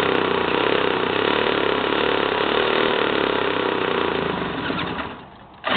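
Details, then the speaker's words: 1977 JCPenney Pinto two-stroke moped, sat about 8 years, run on a Briggs & Stratton lawnmower carburetor with oil mixed in: buzzy two-stroke running fairly steadily for several seconds, then dying away; no knocks or grinding. "I got this Briggs and Strat and carburetor right here off of uh a lawn mower yeah and I'm running oil in it it's two stroke carburetor don't seem to mind"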